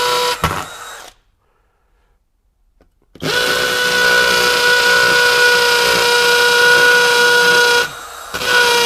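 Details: Kobalt KHD124 24V brushless hammer drill in hammer mode drilling 3/8 inch holes in cinder block with a masonry bit; steady high motor whine with fast even hammer buzz as the bit bores smoothly; drill healthy.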